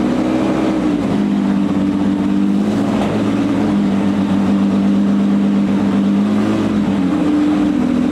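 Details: Porsche 910 flat-six, freshly built FIA-compliant race engine with ported heads and MFI-type setup, running on a dyno jig before engine-dyno run-in and tuning: crisp rises and falls through several clean blips, pitch climbing smoothly with throttle, no misfire; healthy revving.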